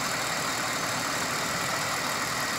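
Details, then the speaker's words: 2000 Pontiac Grand Prix GTP parts car with 151 on the odometer: smooth, even idle with a steady hum and no knock or tick; healthy normal idle, better than the owner's other GTP. "one definitely sounds a lot better than my other one"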